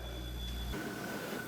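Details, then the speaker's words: Hotpoint 7 cu ft chest freezer after the start-capacitor fix: smooth even low hum with a faint steady high whine, no knocks or rattles. Compressor is running normally and frost is building on the inner walls. "and you can see by the Frost building up on the sides here it is starting to get cold nice and cold all right guys this is running I'm a happy camper"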